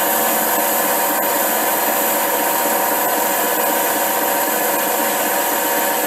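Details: HiTorque 5100 7x16 mini lathe facing steel at higher speed with a shallower cut after earlier chatter: steady even cutting hiss with no squeal or rhythmic chatter, a smooth clean facing cut.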